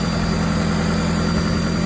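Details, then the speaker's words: Nissan Altima just after alternator and AC compressor replacement, first start: steady, even idle with a smooth low hum, no misses, knocks or squeals; started first try, no smoke, no jumper cables; running healthy. "Yeah, the first try, y'all. And no smoke this time, no nothing."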